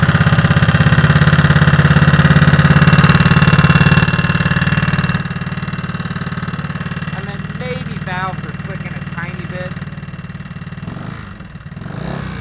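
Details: GY6 scooter engine at idle, recorded with a helmet-mounted camera: a fairly steady light tick, about three or four per second, over the hum; source not pinned down, cause unconfirmed.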